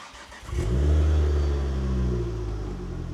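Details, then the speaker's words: Car back in after a warranty camshaft fix on a forged engine build with forged pistons, rods and slightly bigger clearances: catches quickly, settles to a smooth, even, quiet idle with no knocks or ticks; sweet as a nut. ">> Sweet as a nut, mate. Absolutely sweet as a nut. >> run nice. And that quiet."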